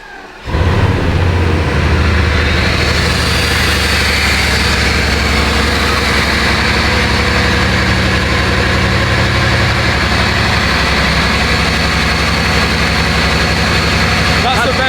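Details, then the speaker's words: Bugatti Veyron cold start after swapping mass airflow sensors into housings: engine catches quickly and settles into a steady, even idle with no misses, knocks or hunting; much smoother than before, healthy cold start. "That sounds smooth. Yeah. 100% better. Way better. That's the best cold start."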